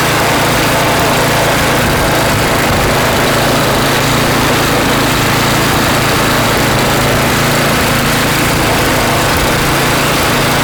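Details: Craftsman snow blower (customer's, brought in to get running) after cleaning and reassembly with a replaced seat: small engine holds a steady, even buzz with no surging or sputter, so it runs smoothly and fuel gets through fine.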